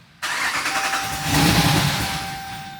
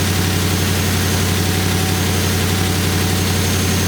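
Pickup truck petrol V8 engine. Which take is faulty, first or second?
first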